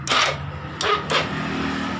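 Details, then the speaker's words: Honda Beat carburettor scooter whose starter only clicked, after the starter relay was rewired with an external relay bypassing the CDI relay: a short crank burst, then the engine fires and settles into a steady run; a normal start. "ini misinya sudah hidup"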